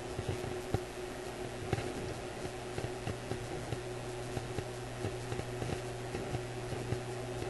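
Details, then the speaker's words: Graetz Polka 1113E German antique radio: low hum with irregular sharp pops, clicks and static. The voltage at a key circuit point is seen fluctuating on an oscilloscope, pointing to an intermittent fault. "So I'm hearing the pops and clicks and static in the radio, and I'm seeing the voltage at this point fluctuate."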